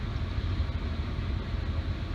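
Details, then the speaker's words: 2005 Ford F-150 Lariat 5.4L V8 after new alternator and drive belt installed, charging 14.3 V: smooth, low, even idle rumble without belt squeal, rattle, whine or vibration; normal idle. "So it is functioning. It sounds good. There's no noise at all, and there's no vibration."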